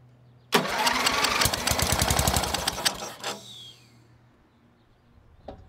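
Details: MTD riding mower with a Briggs IC engine (model 28D707), about 27–30 years old, first start after nearly 20 years stored, carburetor not yet cleaned. It catches at once with fast, fairly even firing for nearly three seconds, then shuts off; a healthy start.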